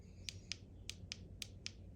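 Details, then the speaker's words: Beast B6 blender base, blade assembly rotated so blades press the two lid safety sensor buttons under the rubber cushion: six crisp separate clicks; both switches must press to signal blender okay to blend and turn LED white, working properly. "So what we just did there is both of those buttons need to be pressed in order for it to pass on the signal over the temperature sensor back to the blender and let it know it's okay to blend and turn that LED white."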